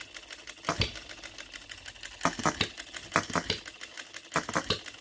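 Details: New OKMO Retrol B02 miniature petrol hit-and-miss engine, on 25:1 shellite with Marvel's Mystery Oil: sharp pops in short clusters with quiet coasting gaps, a steady fire-and-coast pattern. Normal hit-and-miss running.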